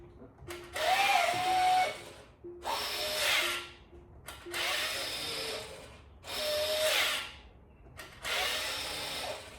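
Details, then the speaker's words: 2016 Tesla Model X wheel parking brake motor, camera aimed at the wheel, parking brake fault present: six rough whirring bursts about every two seconds; too much gear freewheel, faulty motor to be replaced. "that is not the way it should sound. It should not have that much freewheel going on with it."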